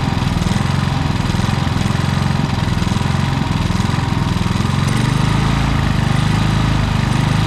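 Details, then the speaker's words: Predator generator with many hours that began surging after running for a week and running out of gas; carburetor cleaned and tightened without fixing it. Engine note hunts up and down; cause was a misadjusted idle screw limiting the electronic idle, readjusted. "it was actually just this little idle screw right here with it it uh allows the electronic idle to do its thing but this here keeps it from going too far i adjusted that it runs fine"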